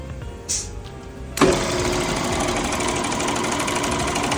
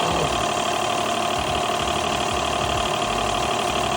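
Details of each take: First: Car wash high-pressure pump, rebuilt, tested on high-pressure soap: hard, fast, uneven rattling knock about three per second under pressure; valve parts reassembled in the wrong order and jammed. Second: Car wash high-pressure pump after second rebuild with correct valve order, torqued down: steady even drone with soft regular pulse about two and a half strokes a second, no knocking; running normally.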